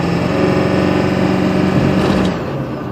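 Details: 7.3 diesel engine with loud clatter and uneven pulse softening as revs drop; weird misfire on deceleration, cause unknown.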